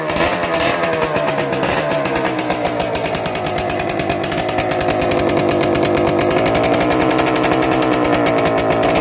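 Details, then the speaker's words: Two-stroke motorcycle that sat parked for a year or two, first start before cleanup and restyling; crisp, rapid buzz with an even beat rising slightly with throttle; engine judged tight and good, normal running. "โอเครื่องแน่นเครื่องแน่นใช้ได้"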